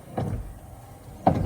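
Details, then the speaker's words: Peterbilt 379 cab, speed-controlled windshield wipers running after a fuse was replaced: two dull thumps about a second apart at each sweep reversal, a light knock suspected from the old steel wiper linkage rods. ">> Why is What is the knocking noise? >> Just old stuff. and then turn it all the way. It's a little rowdy sounding"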